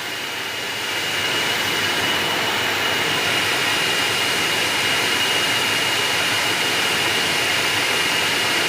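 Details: Ventilated seat cushion fan in a Hyundai Aura, speed settings one to three: steady airy whoosh with faint thin high tone and even level, no rattle or scrape; fan running normally.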